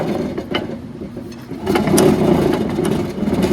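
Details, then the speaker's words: 1969 Arctic Cat P12 Panther snowmobile with a Kohler K301 engine that failed, crank turned by hand after polishing the connecting rod journal. Uneven ratcheting clatter every turn, even off the cam lobes: crankshaft bearing noise. Engine judged no-go. "getting a lot of bearing noise um even when the cam lobes are on the low side I'm still getting a heavy ratchet of a bearing so we are going to call this no go"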